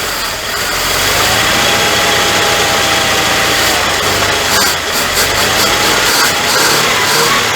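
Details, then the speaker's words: 1979 Dodge D300 V8 sat 20+ years in woods, first run with two dead cylinders and blow-by: uneven loping near-idle with steady hiss, possibly vacuum booster; misfire on two dead cylinders. "it's missing you remember we got two dead cylinders but yes sir that is pretty dog on awesome"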